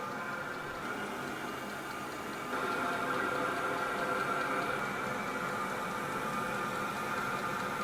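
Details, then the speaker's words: New Vevor diesel heater just fired up on its first start after priming: a smooth, steady whirring burn with an even fan hum that steps up slightly and holds. The heater is running cleanly. "You can hear the combustion already taking place. The pump just came on. Fired up. Shortly, we'll be having heat pumping through the front right here."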